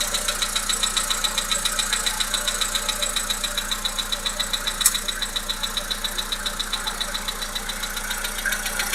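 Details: Volkswagen Polo Sedan 1.6 CFNA engine at steady idle with a sharp regular knock, about two and a half per second; engine knock, cause not pinned down.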